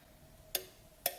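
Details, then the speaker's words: Ford CCRM fan relay module bench-wired for a Holley Terminator X with PCM power supplied: two sharp relay clicks about half a second apart, both circuits pulling in; normal relay operation, module fully powered. "So now I have 2 clicks."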